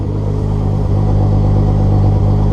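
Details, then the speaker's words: Turbo VR6 on a cold start after new intake and exhaust manifold and T3-to-T4 flange gaskets, fixing a bouncy idle at AFR 10: steady, even low rumble, slightly rich while cold. Normal idle. "the airfield ratio is perfect it's a 12 13 well i guess problem solve she's good the idol is perfect"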